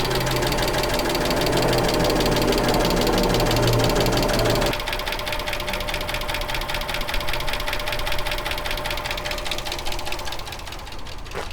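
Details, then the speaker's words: 2010 Dodge Challenger after top-end work and head bolts torqued: sharp steady ticking two or three per second over idle, as loud as before the repair; owner suspects a bent valve or oil pressure problem, cause unknown. "but i don't know what's going on guys everything's done but it's still ticking just as loud as it was i'm wondering at this point if there's a bent valve"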